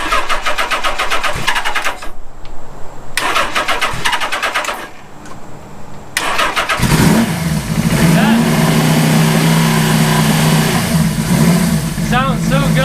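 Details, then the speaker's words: Suzuki GS850 scrambler after sitting all summer, oil leak fixed and correct main jets fitted, first start with a sticking float tapped free: cranking and stumbling, then catches and settles into steady even idle; battery charging from about 9 to nearly 12 V; normal idle. "The bike has been idling for quite a while now, and I think the battery's charged up."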